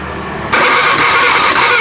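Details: Honda Beat FI scooter with no ignition, LED tester: starter whirs steadily over a second, engine never catches; LED doesn't light while cranking, fault traced to the pulser line.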